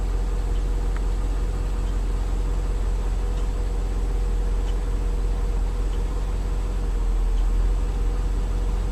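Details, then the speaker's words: 2003 Mercedes S55 AMG at idle on ramps, about 186,700 miles, just after ABC/power steering hydraulic pulsation damper replacement, run to purge air before cycling suspension: even steady idle, no pump whine, groan or knock; normal idle. "i'm gonna start the car lets it run for a little bit so if there's some air it'll work its way out"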